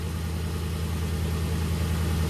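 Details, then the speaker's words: Infiniti QX56 V8 bought cheap with coolant leak, previously misfiring and jerking, engine light still on: deep even idle with no miss, slight belt or pulley noise; runs and drives better. "sounds good. I don't hear a miss, so that's good."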